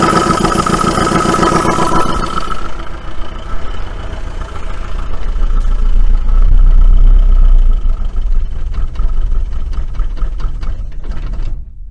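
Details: 1980 Dodge Colt Challenger (Mitsubishi Galant Lambda) engine, float bowl primed by hand: it catches, runs rough and uneven for several seconds, then dies once the primed fuel is used up; no oil pressure shown, or the gauge doesn't work.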